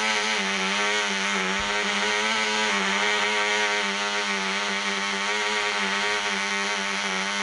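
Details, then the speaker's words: Black Widow mouse racer glow engine on its first test run: polished crank bearings, fitted cylinder/piston, high-compression head, 5x3 prop, 24% nitromethane, needle at three turns. A high-pitched buzz that wavers and stutters slightly instead of holding a clean note; it is running rich. "that sounded pretty good run it rich one more time and then we're gonna turn it loose"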